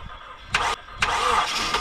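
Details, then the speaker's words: 1997-2001 Honda CR-V after engine swap, first start with dry fuel system after priming: short starter bursts then longer crank with weak attempts to fire; crank no-start, fuel pressure not yet built in the rail. "she's trying to Fire and not getting it Fuel and just slowly build another pressure"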